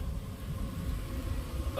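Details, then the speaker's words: Home central-air handler blower after replacing the failed blower motor: steady low rush of air with a thin annoying whistle rising near the end, likely from the filter; blower working normally, cold air output. "this whistling's annoying but I think that's just a filter yeah oh yeah it's pulling some"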